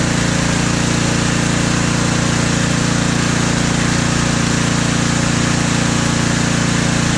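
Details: Husqvarna ST330T/ST332 snowblower that wouldn't start, oil black and smelling of gasoline: even, steady drone from the small petrol engine with no misses or surging; running smoothly.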